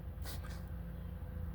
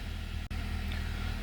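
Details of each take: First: 2012 Honda Accord 2.4L after the crank pattern relearn and cleared misfire codes (P0302, P0303, P0300): a quiet, even low hum at idle with one brief outside noise, no stumble or misfire; fixed, and it accelerates fine. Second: 2012 Honda Accord 2.4L, cold idle just after start, check engine light flashing at times, codes P0302, P0303 and P0300: a low, uneven stumbling beat; the mechanic suspects a crank position sensor relearn is needed.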